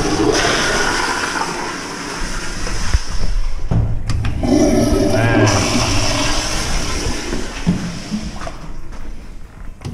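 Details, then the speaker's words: Movie theater sewer line just cleared with an electric snake after a clog near the slop sink: several toilets flushing together with a strong rushing gurgle draining steadily without backing up. Normal drain flow. "all right I'll go flush some more toilets she run pretty good yeah all right cool"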